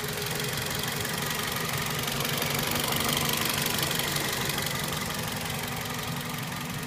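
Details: 2004 Toyota Celica GT at idle: fast, light ticking about four per second over a rough, hissy idle; a top-end tick of unclear source.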